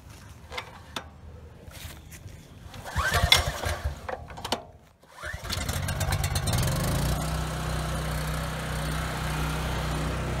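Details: 7-year-old Husky generator, Subaru EX30 engine, first start after carburetor rebuild and pilot jet drilling for no-load surging and hard starting: cranks, catches, settles to steady even drone with no hunting under two 1500 W loads; runs smooth.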